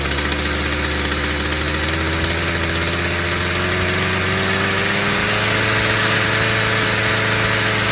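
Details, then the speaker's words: Stihl FS 55 brushcutter, previously not starting despite new plug and carburetor, after clearing a clogged exhaust: buzzy two-stroke idles steadily, then pitch climbs smoothly without sputtering; runs cleanly and freely. "Muito bem. Problema, simplesmente escapamento entupido. Mais nada."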